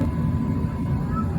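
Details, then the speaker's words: Propane gas furnace, thermostat raised about five degrees from 68, burner lighting. A low, steady soft roar with no popping or fluttering; firing normally with a blue flame. "so I'm gonna go up about I don't know five degrees nine and you'll hear it fire up you can hear it running and after a few minutes you'll see a kind of a fire it'll go okay now you hear you can hear the fire"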